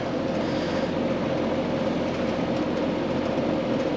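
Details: Residential AC outdoor unit, no cooling: only the replaced condenser fan whooshes with a low hum, compressor not starting; compressor lost a power leg from a wire burnt off at the contactor lug, and the capacitor's compressor side read 0 µF, slightly bowed.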